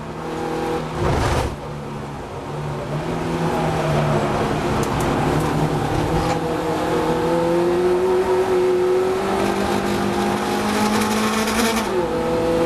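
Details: Abnormal noise under hard acceleration from the Compact racing at Brands: an extra tone climbs with the revs above the normal engine note; source unknown.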